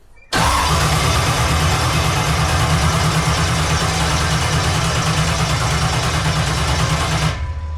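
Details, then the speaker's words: Jet boat in neutral via jet-away, extra fuel given: steady even cranking about seven seconds, nearly catches but won't start; owner first suspected rain-damaged ignition, cause was bad gas. "All right, it should have fired off by now. So, I'm going to dig into this a little bit."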